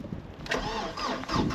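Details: Vauxhall Cavalier 2.0 16V Ecotec X20XEV, previously locked engine, still immobilised, new fuel pump relay fitted: starter churns steadily but engine never fires; no spark, cranks without starting.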